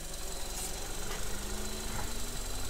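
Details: 2015 Vauxhall Corsa E 1.4 LDD engine, healthy reference car of the same model used for comparison against a car with P0300 rough idle and lean codes: smooth, steady idle with no misses, knocks or hunting.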